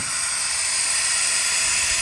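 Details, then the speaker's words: John Deere 525E mower, Briggs & Stratton 24 hp twin-cylinder ELS engine, leak-down test: steady high airy hiss of compressed air escaping, 60% leakage on the second cylinder; blown head gasket. "Look at there. 60% leakage. And I can hear the air coming out."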